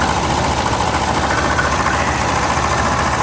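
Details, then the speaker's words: Compressor on the car just AC-repaired (leak possibly stopped, O-rings not replaced) runs at idle with a steady, even drone and no cycling or knocking; it stays engaged, a bit louder than expected but quieting down, while vent temps drop to the 50s °F. Normal AC compressor operation. "The compressor's quieted down. I was a little concerned like that sounds a little bit louder than I'm used to. She's running consistently."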